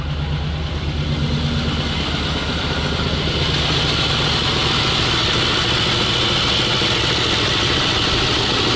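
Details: ZIL truck V8 running on petrol while being checked for fuel leaks: even, steady low idle rumble under a hiss, no misses or stumbles; idles normally, though the battery is not charging.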